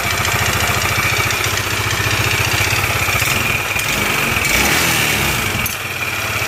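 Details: Yamaha NMAX scooter idling after the slider cover was refitted, still making a steady, fast "tek tek" ticking over the engine beat, traced to a worn, oil-starved top end; cylinder head then removed.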